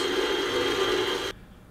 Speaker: At this point the pump is running at the end of his curve and you can clearly hear the ticking sound like marbles in the pump house.